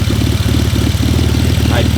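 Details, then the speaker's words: Worn BMW E46 drift project idling after the cooling system was redone and water added, engine not yet hot. Uneven, lumpy idle with a recurring stumble in the exhaust pulse, consistent with a misfire; the owner is unsure whether the injector or the wiring is bad. "Can definitely hear that misfire now. I don't know if the injector is bad or the wiring is bad."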